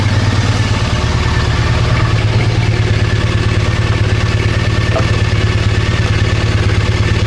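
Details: Triumph Bonneville twin, stood 10 years, after fixing a faulty O2 sensor: low, steady, even idle thump with no misses or ticks; idling smoothly and healthily.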